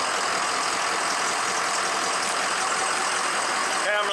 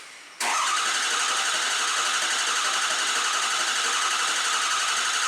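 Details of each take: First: Diesel truck engine just reassembled after a nail damaged a piston (piston replaced, factory O-ringed heads, ARP head studs) and a high-pressure pump failure; restarted after bleeding most air from fuel and oil systems, fires right off into steady, even idle warming up. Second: Diesel truck engine after high-pressure pump failure and piston replacement, reassembled with O-ringed heads and ARP studs, first start: catches to a steady clatter, fades out, then restarts. Start-die is attributed to air in the high-pressure oil and low-pressure fuel systems.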